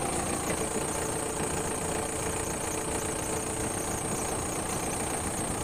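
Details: Bomag BW211D roller diesel at low idle, where measured oil pressure is about 5 kg: a steady, even chug with a faint hiss and no knocks or misses. The engine is healthy; the low oil pressure warning and shutdown are traced to a faulty pressure switch.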